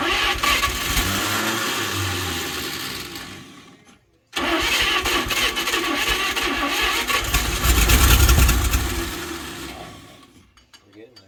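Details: 1938 Chevrolet Master Deluxe, sitting since the 1970s, during revival: slow, labored cranking at about four turns a second, a pause, then more cranking without catching, a no-start; owners suspect low compression and a weak starter.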